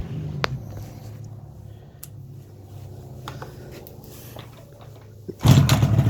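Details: 1985 RZ350 two-stroke on a dry test run-up after many small repairs, with a damaged fuse box, wiring issues and hot stator wiring: a quiet low burble, then a sharp crackly rev that picks up cleanly. Normal two-stroke run-up.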